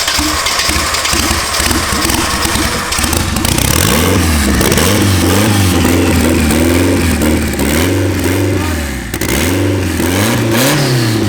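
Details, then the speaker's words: Honda Civic with a rear-drive turbocharged KA24DE swap, map set up, sequential smart coils: loud, raw open-exhaust engine revving cleanly and settling to a steady idle; normal running and revving. "so now it is healthy it is happy is running the map is set up everything is configured"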